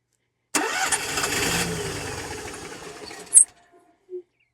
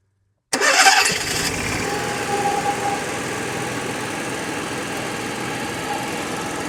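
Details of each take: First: Onan RV generator that won't stay running: after a long fuel pump prime it fires with a burst, runs rough about three seconds, then dies. It earlier ran 30–45 seconds, so ignition is good; the owner suspects a fuel supply problem. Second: RV Onan generator after curing suspected air in the fuel line (likely from running out of fuel): catches quickly after brief cranking, fuel heard entering the carburetor, settles into a steady even run with no misses or surging; normal start and run.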